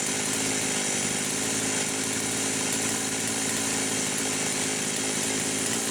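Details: Poulan 525 chainsaw after carburetor gasket leaks repaired, revving high with no load, tach attached; screaming revs with faint uneven flutter at top end as the carb governor kicks in; owner wonders about a coil rev limiter: governor surge.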